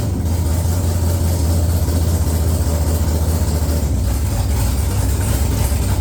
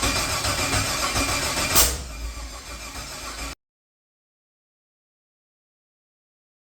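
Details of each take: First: XG ute with a 6.0 L LQ4 (long-crank) V8 swap, first start after replacing a faulty new crank sensor: deep steady V8 idle, even low rumble, no knocks or misses; running smoothly. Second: XG ute with a 6.0 L LQ4 (long-crank) V8 swap, first start: long rough cranking that catches without settling, then a pause and weak retry; the cause was a faulty brand-new crankshaft position sensor.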